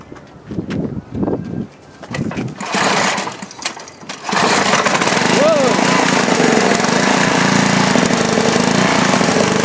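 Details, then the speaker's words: Rebuilt 10 HP Briggs engine on a 5000 W Coleman generator, first start after new rings: fires and settles into a smooth, even run with steady speed and no misses; no smoke other than oil added to the cylinder for lube, previously smoked. "seems to be doing pretty good tubes started right up wasn't blowing any smoke other than the oil we put in the the cylinder for Lube"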